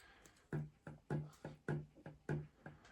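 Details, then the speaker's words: Mazda 12A bridgeport rotary from an RX 626, just rebuilt with new water seals and O-rings, flywheel and front stack fitted, turned slowly by hand: a dull clunk about every half second as the shaft shifts. Owner suspects excessive eccentric shaft end play, to be checked with a dial gauge. "I think it's got excessive um end play."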